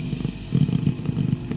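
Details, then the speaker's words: Philips GC9315 steam generator iron, repaired for no steam output (faulty pump), reassembled and retested: low pulsing buzz with uneven surges from the pump heard at the rear, steadily pumping water; pump now works normally. "ด้านหลังนะครับจะได้ยินเสียงปั๊มทำงานนะครับสักพักหนึงนะ"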